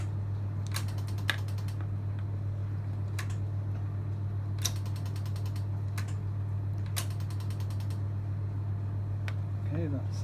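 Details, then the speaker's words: Yamaha XVS 1100 after carburettor service and refit, fuel tap on reserve, key turned: bursts of quick clicking over a steady low hum thin out as fuel is drawn from the tank and the carburettors fill; normal fuel pump priming. "So when we turn the key, hear the familiar clicking sound as fuel is drawn through from the tank."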